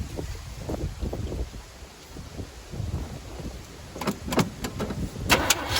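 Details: 1985 Chevy C10 half-ton long bed, 305 V8 with stock Quadrajet carburetor (choke removed): fifth start attempt, running off the float bowl after pumping; engine catches, then sputters, surges and sags unevenly, struggling to idle. Rough running; owner suspects fuel or a wrongly installed distributor.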